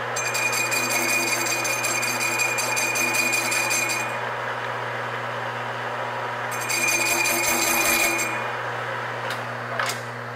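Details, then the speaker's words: Harsh, high-pitched buzzing screech in bursts as a carbide lathe tool cuts a thin, large-diameter model steam engine flywheel; this chatter vibration will dig deep troughs in the part unless the tool is backed off. "the moment you hear that chatter going on you've got to get the tool off the part or all it's going to do is just dig a whole lot of deep troughs in the park"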